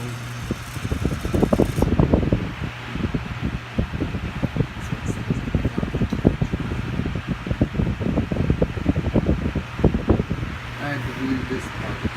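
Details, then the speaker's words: 1974 Kmart K-10 10-inch single-speed tilting table fan with a metal blade and Fasco motor: a steady hum with a loose, irregular light rattle from the cage. "As you can hear, the metal blade with the Fasco motor gives a rather nice start. And it runs just quite a bit together, albeit with a little bit of a cage"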